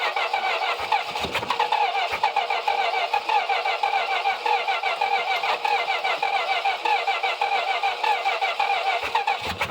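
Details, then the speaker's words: 1964 Dodge Polara with 318 Poly V8 starts after a short crank and settles into an even, steady run with a slightly rough, busy tone; it runs, despite a known fuel leak and no radiator fitted. "it runs."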